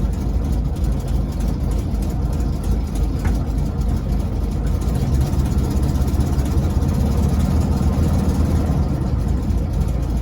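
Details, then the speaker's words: 1968 VW Baja Bug, air-cooled engine idling in neutral, before transmission overhaul: low, rough steady hum with clutch released that goes away with clutch pressed, also heard at low driving speed; owner suspects a damaged gearbox bearing. "So sounds like this. I think the bearing, some bearing is it got damaged, and if I step on the clutch, it goes away."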